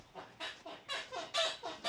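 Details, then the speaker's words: 2001 Honda Passport rocking over bumps before shock replacement: rhythmic high dry rubbery squeals about four per second; owner doubts shocks are the cause, suspects bushings; suspension squeak. "I don't think it's gonna be exactly shocks but like I said we're going to replace them because they need it"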